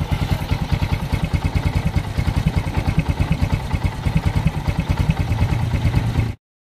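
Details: Bajaj CT125 motorcycle that would not start, running after a stock part was cleaned: single-cylinder idle with steady even exhaust thumps about eight a second and no misses or knocks; normal idle.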